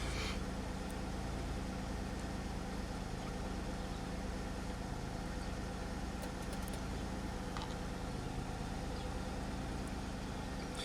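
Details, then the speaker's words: 2003 Pontiac Grand Am after intake gasket job, codes cleared: smooth steady idle settling down, no misses or stumbles; cylinder 6 briefly showed misfire counts, otherwise healthy. "I saw 6 had some there for a second. I think she's trying to come down to idle speed."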